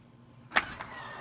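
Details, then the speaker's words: Grand Design Reflection bunkhouse RV automatic belt-driven awning retracting: a sharp click, then a soft, even motor hum with no grinding or straining; awning works normally. "where my son is uh making the awning go back up so you guys can see it's a belt working so that is the automatic awning"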